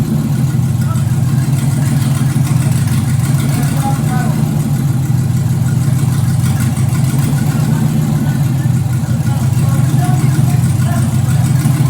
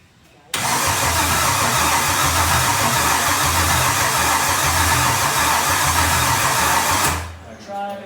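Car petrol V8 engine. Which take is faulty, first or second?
second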